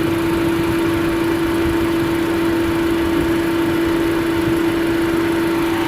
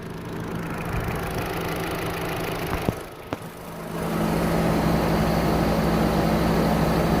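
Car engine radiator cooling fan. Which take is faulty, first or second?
first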